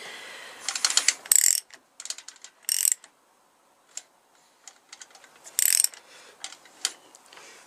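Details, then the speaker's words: Honda CBR1000F engine turned over by hand from the left-side bolt: slow, uneven bursts of metallic clicking and chain rattle. Owner suspects a snapped alternator chain; the crank carries cam, oil pump and alternator chains. "The engine's turning. Can hear some weird noise in there though. You hear that chain noise?"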